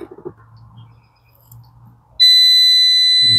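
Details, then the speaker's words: 1967 Travco 220 RV with big-block Chrysler, parked since 1988, key on: quiet, then a steady shrill continuous beep from the circuit tester confirming voltage is reaching the ignition coil. "there's a little bit of voltage in there it's got power to the coil okay"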